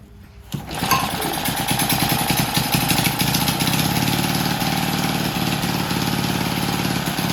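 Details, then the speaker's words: Vintage Lauson-powered jump starter, rope-start single-cylinder left outside long, floods easily, transmission fluid put in and left overnight; owner suspects a sticking valve freed: catches first pull, quick even beat without misses; normal running. "Heck of it, I threw the rope around that sucker, give it a pull. First pull, took right off. Ran beautiful."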